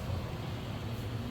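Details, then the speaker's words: Furnace with a newly installed Aprilaire 720A humidifier wired to the board's HUM terminals (ComfortNet thermostat), first power-up with humidifier and fan both running; steady even low blower hum, no rattles, scrapes or surging. Normal startup. "Oh, look at that! Furnace is powering on. Our humidifier is on. Fan's blowing. Oh, this is working."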